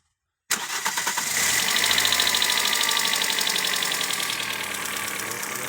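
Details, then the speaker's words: Freshly overhauled Toyota Corolla 4ZZ engine: the chain tensioner was tightened and the chain noise is gone. A fast, even light top-end ticking follows engine speed; measured valve clearances are off, some too tight and some too loose, apparently from the mechanic's adjustment. "Это из- за того, что шум от цепи исчез, но, похоже, механик неправильно отрегулировал толкатели, потому что я только что измерил несколько клапанов."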